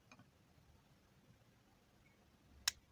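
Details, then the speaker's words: Refrigerator defrost timer turned by hand counterclockwise: faint light ticks, then one sharp "krek" click as it snaps over to position one. The timer mechanism is working normally. "Pi perbedaan suara saja dari mulai ketik ketik ketik ketik ketik itu ya itu ada bunyi krek itu adalah lagi posisi ke posisi satu"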